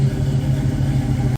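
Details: 1966 Pontiac Catalina wagon after a power steering pump replacement, with spilled fluid possibly smoking and the alternator at 13 V; a deep, even engine rumble with no knocks, squeals or misses. Normal engine running.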